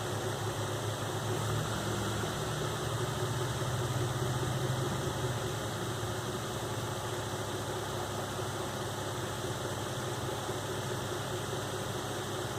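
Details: 2005 Nissan Xterra VQ40DE V6 after replacing timing chains, guides and all three tensioners (broken tensioner had left chain slack): smooth, even idle with steady low hum, no rattle or tapping; noise gone.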